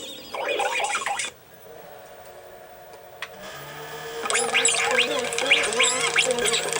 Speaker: So right now I touched the Capstan motor and I got it to somewhat turn to the right speed, but it's still struggling. You can hear it in the sound, it's not working well.